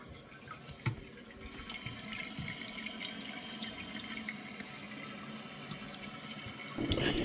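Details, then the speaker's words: Toilet tank refilling after the fill valve is replaced: a steady, even rush of water into the tank and through the rubber pipe with no hammering or squeal; the new fill valve fills normally. "you see the water pouring into and filling the tank and also the rubber pipe there's a lot of water coming through there as well"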